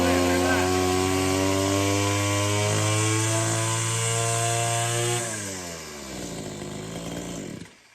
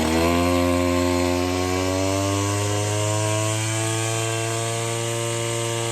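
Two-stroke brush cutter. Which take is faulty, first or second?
second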